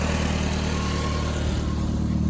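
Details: VW Mk4 1.8T K04 daily driver after repairing cracked head that caused random misfire, rough starts and low compression, with new IE timing tensioner and NGK BKR7E copper plugs: smooth even four-cylinder idle, no misfire; running good.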